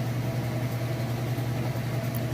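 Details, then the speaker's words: Used Amana washer (Whirlpool-built, electric) on final spin with a heavy load on the heaviest setting: smooth, even low hum with no knocking or thumping, spinning fast, not off balance; normal final spin. "Okay, and here we go into that final spin. You can hear it spinning nice and fast."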